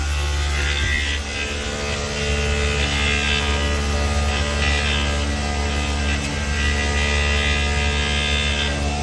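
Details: Daikin "Rebel" package VRV unit in automatic cooling mode, amps bouncing; low droning hum with uneven surging rasp coming and going; failing inverter compressor.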